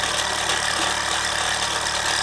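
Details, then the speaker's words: Mamod SR1 steam roller (1963/65, probably 1965/66), aluminium wheels with rubber tyres, running on rollers: even steam hiss, soft regular chuffing, whistle now pressure tight with no leak; more poke than before; normal running. "Definitely got more poke than before."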